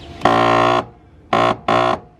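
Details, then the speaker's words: BMW E46 3 Series power window motor, replaced about three months earlier and failing again. Lowering is fine, but as the glass reaches the top, three loud harsh buzzing grinds come from the motor area. Motor suspected stripped or not stopping at the top. "just as we reach the top you'll hear a few conscious coming from around here which is where the motor is and you'll hear a big grinding sound of the window hits the top"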